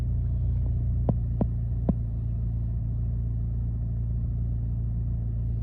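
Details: 2008 Chevy Malibu with rough idle and hesitation on acceleration: a low rumble with an uneven throb and three sharp thumps early on, then settling; the idle is rough and the cause unclear.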